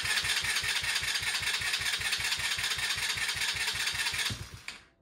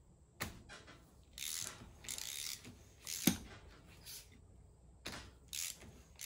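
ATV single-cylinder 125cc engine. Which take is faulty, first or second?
second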